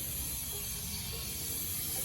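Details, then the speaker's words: Sprinkler system inspector's test valve on the end of a repiped line, cracked slightly open after refilling. Steady, even hiss of trapped air bleeding off the refilled sprinkler line. "I like to bleed the air out, so that's what these inspectors test on the end of the sprinkler system are so nice, because you can bleed the air out."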